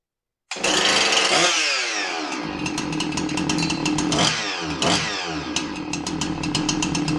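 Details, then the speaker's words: Husqvarna 346XP chainsaw (complaint: dies at idle unless throttle held) running with sloppy clutch removed; fires and revs cleanly with no rattle, noise gone, so noise was in the clutch, not engine; clutch to be replaced; normal running. "Yeah, our noise went away. Means the noise is not in the engine. It's in the clutch."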